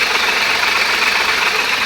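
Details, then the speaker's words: 1994 Honda Civic EX idling in neutral with clutch out: very loud metallic gearbox rattle that stops with clutch in; throwout bearing and input shaft bearing already replaced without fixing it. "on the clutch off the clutch it's in neutral making a very loud rattle sound"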